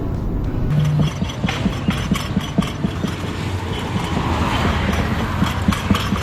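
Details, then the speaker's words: Car driving at high speed: over steady road roar a light irregular ticking rattle keeps chattering; loose panel or trim rattle, source unknown. "Vâng, điều này có chứa một số khác như AC ù tiếng ồn trên sân thượng lục lạc rõ ràng ở tốc độ cao"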